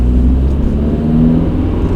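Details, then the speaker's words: VW Golf 4 after exhaust repair, under acceleration: deep, even exhaust note rising smoothly as it pulls, no leaks, hissing, knocking or rattling, no longer noisy; normal, leak-free exhaust. "da, la tobă e totul în regulă, nu mai pierde pe nicăieri, nu mai fâsâie, nu mai nimic, nu mai e zgomotoasă, nu bate, nu troncăne."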